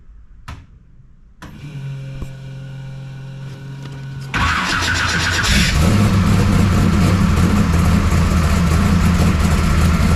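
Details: 1969 Camaro pro street V8 after Holley carburetor rebuild and ignition timing adjustment; starter whirs, engine fires and picks up, then strong, even idle with steady beat; runs pretty good; valve lash still to check.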